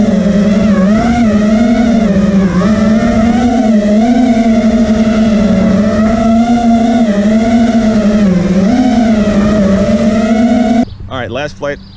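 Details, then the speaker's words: Quad with T-Motor F80 2500kv motors, owner says one has a bad bearing (motors kept destroying ESCs), motor timing changed from medium-high to medium, stock Betaflight PIDs: loud high buzzing whine wobbling in pitch throughout flight. Motor oscillation, cause unconfirmed. "try this again I heard a little bit of oscillation and now I turn my motor timing down to medium is on medium high I also am using stock betaflight pits"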